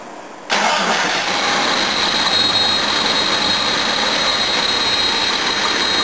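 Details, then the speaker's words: Jeep XJ that had a no-start from suspected slipped timing, after timing adjustment: catches within a second and settles into a smooth, steady idle; sounds much better than before. "I'd say that sounds much better cool all right well there I'll upload this video and that will be that"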